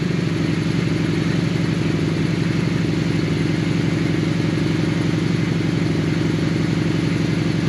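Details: 2001 Honda Shadow VLX 600 V-twin after carb clean, pilot screws set three turns out, idle around 1100 rpm: low, lumpy, steady thump holding even speed with no stumbles or hunting; healthy settled idle.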